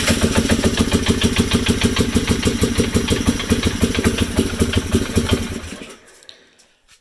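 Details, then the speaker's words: 2007 Polaris Hawkeye ATV single-cylinder engine after carburetor rebuild, ignition fixes and new spark plug, idling with a steady sharp knock about three a second, then shutting off; owner suspects rod knock, common on Polaris, not confirmed. "Certainly have some rod knock, which I don't like, but I know Polaris is... I've owned 3 Polarises, and I have not heard one without rod knock."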